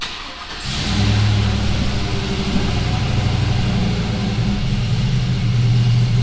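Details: GMC Sierra swapped from a 4.3 to a 5.3 V8 with a mild cam, cold start after sitting a couple of weeks: catches fast and settles into a steady, slightly lopey idle; smooth and healthy.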